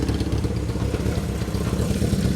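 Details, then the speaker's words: 1978 Kawasaki KZ650 four-cylinder. Idle screws were backed out and reset but the idle is still too low, the carbs are unbalanced, and the right carb leaks on the side stand. Low, uneven, clattery wavering idle. Unstable low idle. "The other thing is that the idle was it was screwed in too far on both sides, so I backed it all the way out, and then I put it in the same amount of turns till we got it to where it's still not right. I still need to idle it up maybe a little"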